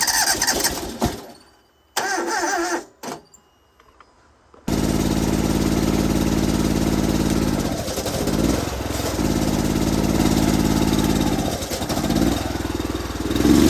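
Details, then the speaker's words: Honda IGX800 engine on a pressure washer: after it starts, the idle note sags and recovers unevenly every few seconds; rough idle from oil-fouled spark plugs only 3–4 months old, a recurring issue after long running. "it has a pretty rough idle right now so the first thing I'm going to do is take these spark plugs out well it looks pretty fouled up"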